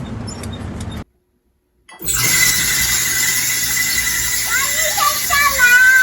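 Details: A household dryer gives a loud, piercing, continuous squeal that wavers slightly in pitch while the drum turns; the source is not yet identified and the dryer is awaiting a repairman.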